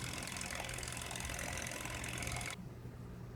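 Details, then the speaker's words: Vintage 1970s Teledyne WaterPik Model 71, after repair replacing the leaking reservoir-to-pump tubing: reservoir filled, switched on, quick even pulsing buzz from the little pump with a steady rhythm until switched off; normal pulsing operation, no longer leaking. "turn on and there we go my steady pulsating action"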